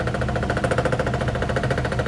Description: My findings is that the washing machine is not properly leveled on the flooring, that's why the basket is touching the body and creates knocking/banging sounds.